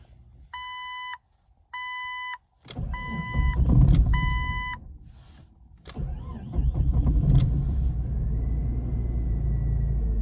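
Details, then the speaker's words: 2000 Jeep Cherokee XJ, previously crank-no-start, after diagnosis and fix: chime beeps, a short crank, then it catches and settles into a smooth, quiet, even idle with no odd noises. Normal idle. "figured let me start her up so you guys can hear what she sounds like. Nice and quiet."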